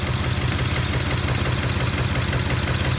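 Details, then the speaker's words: 2009 Ford F150 5.4L V8 at idle, misfiring on cylinder 4 only at idle, smoother at higher rpm, with high fuel trims: uneven lope and stumble about twice a second; vacuum leak from a missing cylinder 4 injector O-ring, found by WD-40 spray. "This misfire is caused by a vacuum leak at an injector seal."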